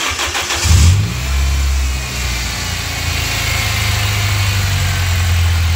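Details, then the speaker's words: 2004 Toyota Altis after several bearings, including a pulley bearing, were replaced: engine cranks, starts and settles into idle with a low steady hum still droning underneath on cold start, exact source unclear. "Jadi di mesin ini kemarin kan kita sudah melakukan pergantian beberapa bearing ya, tapi dia masih ada bunyi dengung, atau kalau bahasa Sundanya dia ngahiung gitu kan. Tadi kedengeran nggak di video pas kita start mesin ya kan."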